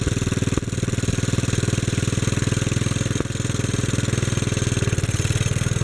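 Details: 1957 Bolens garden tractor (Type 21HD01) single-cylinder engine, after long storage, with points cleaned, fuel tank replaced, carburetor cleaned and main jet adjusted: even, steady chugging at about four pops a second with no stumbles; running healthy.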